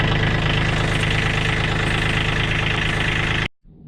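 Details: Kubota B2601 small diesel after an oil change, fuel shutoff solenoid plugged back in once oil pressure built: a steady idle with an even, rapid clatter and no odd knocks.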